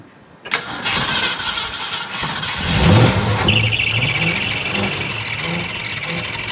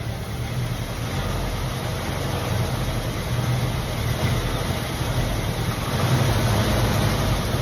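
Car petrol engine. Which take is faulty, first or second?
first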